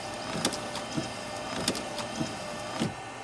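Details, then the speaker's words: 2005 Volvo XC90 Turbo, 80k miles, also stalling with low fuel pressure codes: small motor whirs steadily with a sharp click about every half second as wipers run unswitched; stalk does nothing, central electronics module suspected; wiper motor running by itself. "wow so the wipers have a mine of their own the stock doesn't do anything so that's probably through the central Electronics module"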